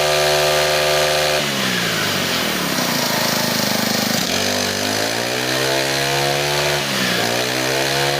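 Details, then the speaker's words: New four-stroke Honda GX25–35 class brushcutter engine, camera close up: crisp buzzing that rises and falls cleanly with each throttle change, with no misses or rattles. Normal running. "เมื่อเราฟังเสียงรอบเดินเบาไปแล้วเราจะรู้สึกว่านะครับของใหม่นะครับวันนี้ของใหม่แท้แกะกล่องเลยแหละนะครับ"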